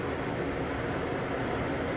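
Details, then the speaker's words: Matsuura MC 510 V CNC machining center jogging the Z axis: only a steady, even hum with no knocking, grinding or rattle; ball screws healthy, sounds like a new machine. "Nothing. You can't hear anything. Here's the Y. Same thing. There's the X. I mean, this thing sounds like a new machine."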